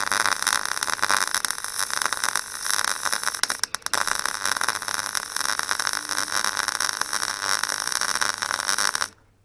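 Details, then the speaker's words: Clarke Pro 90 MIG welder, first-time welding: a harsh crackling arc that sputters and spits unevenly. Owner suspects the wire feed stalling inside the welder, unconfirmed. "What I've noticed is when I get that sputtering, I can almost hear the wire wheel stalling in the welder. So I wonder if that's got something to do with it."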